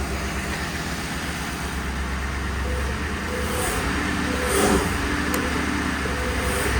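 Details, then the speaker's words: 1966 Ford F100 on a 2010 Crown Victoria chassis running only on a squirt of starter fluid with the fuel pump off. Rough, sagging, uneven running is engine stumbling from fuel starvation, close to stalling. "could be running out any second that's wild that it's still running with just that little squirt no G F looking in the back cuz the fuel pump is off sounds like she's getting ready to"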